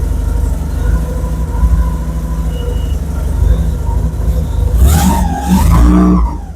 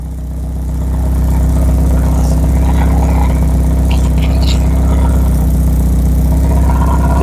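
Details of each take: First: Porsche 944 stolen and left a year in the woods, first start after reconnecting the engine signal wire to restore injector pulse: catches and runs steadily with a low, even exhaust note, then blips through quick revs; healthy. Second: Porsche 944 that was stolen and dumped for a year in the woods, first start after electrical repairs: loud idle with a raspy chuff on each firing pulse from many exhaust leaks. Oil pressure and idle are good.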